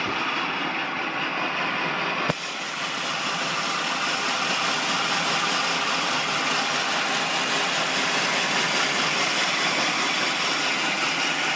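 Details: 1999 Acura Integra petrol engine idling with an uneven, hunting rhythm and a slightly lumpy beat; rough idle, cause not evident.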